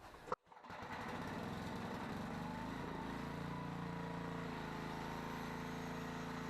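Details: Old 7 HP Briggs & Stratton generator, free, revived, powering a grinder and a light bulb: after pull start settles into steady even drone and holds speed under load, running fine; carburetor kit still to be sourced.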